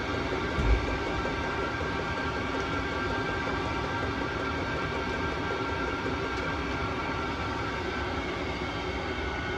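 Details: Vevor Chinese diesel heater after cleaning, hot and putting out clean heat before shutdown cycle: steady even roar of fan and burner, no surging, popping or cutting out; running normally.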